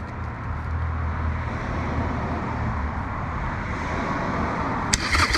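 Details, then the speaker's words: 2016 Harley Sportster 883 Iron EFI V-twin after a fuel pump rebuild: it catches and runs lumpy and irregular, sounding horrendous and unlike before, with the light staying on and fuel leaking. It had earlier been running on one cylinder; a fuel problem is suspected. "But if you turn it on, it sounds horrendous. It didn't sound like that before."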